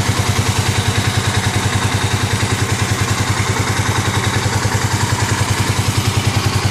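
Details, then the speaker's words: 2009 Kawasaki KLX250S single after a 300 big bore kit with new gaskets, first startup, idle set around 1000–1500 rpm: even thumping idle about eight beats a second, steady rhythm; new gaskets heating up; normal idle. "good that's how it sounds good is yeah all the new gaskets that's hating up"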